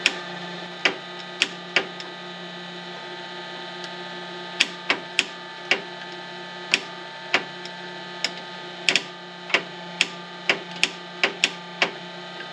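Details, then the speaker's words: Foxbody Ford Mustang that won't start, with the starter jumped directly. Sharp single solenoid clicks come at irregular intervals with no cranking; the solenoid works but the starter motor doesn't turn. "all right so it sounds like the solenoid's working but the motor's not"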